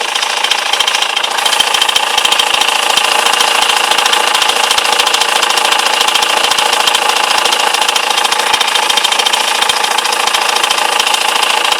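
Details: BMW E91 with M47 diesel at idle: steady fast metallic clatter, about three to four beats a second, cause unclear.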